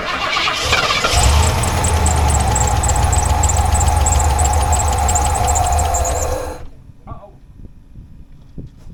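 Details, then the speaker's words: 1989 Ford F150 being revived. Cranked on starting fluid sprayed into the intake: catches and roars a few seconds, then cuts out with popping. Owner suspects mashing the gas while cranking caused the backfire. Brief start, then quits. "Well, I made a mistake, I guess, mashing the gas while I was turning it over. That may be why it backfired like that."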